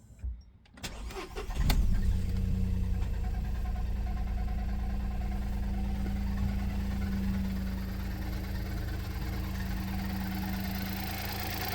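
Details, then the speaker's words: Loose engine cover on a 2017 VW up! TSI, apparently not refitted correctly after a service, rattles after start-up and at idle with a light knock-like noise that mimics a knocking engine. "É essa peça aqui, ó, que parece que é estirado para fazer revisão e não montou ela novamente certa e e ela tá dando esse esse barulho, ó. Ó, para você, parece o motor batendo, ó."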